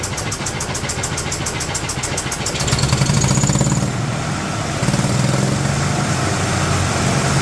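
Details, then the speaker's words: 2008 Yamaha Drive G29 gas golf cart, running only with choke fully out: uneven single-cylinder putter that stumbles and surges, noisy as if compression or exhaust escapes; crankcase pressure venting from valve cover tube. Owner suspects possible head gasket, not confirmed; rough running. "It's noisy. It's like we have compression or exhaust coming outside the engine."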